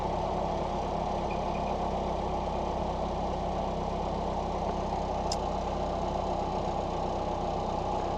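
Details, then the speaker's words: 1989 Ford Mustang Fox 4-cylinder after injector rebuild, new exhaust and IAC reset (IAC unplugged, idle screw set, battery disconnected 30 minutes): smooth even idle about 900 rpm, steady low hum, no misses, ticks or hunting; ECU may need ~75 miles to relearn; normal idle. "about 900 RPMs which it called out in the Forum that I called out in the Forum that it can take upwards of 75 miles for the actual computer to reset and relearn its new base idle"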